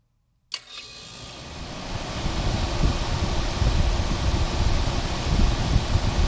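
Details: 1978-79 GE Sahara 14-pint dehumidifier with an Aspera compressor (like a Tecumseh AE), curb find, started after drying for 24 hours. A click, then fan and compressor hum build over a couple of seconds into a steady drone. Starts and runs normally.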